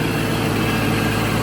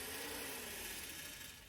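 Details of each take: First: Shelby GT500 Mustang idling with cooling fans running (fans cut on around 190, new harness and resistor working); steady idle with even fan rush, no rubbing. Earlier fan noise likely from fan pushed too tight against radiator, loosened and reset. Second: Shelby GT500 electric cooling fans with new harness and resistor, switching on with AC on: quiet whirring with a dry dragging scrape fading as the fan spins down; shroud suspected pushed too far against the radiator, stops after refitting.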